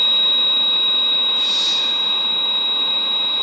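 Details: 1962 Sears Silvertone tube black-and-white portable TV after capacitor reforming: steady high-pitched whine at one pitch, horizontal oscillator running about 15 kHz as it should.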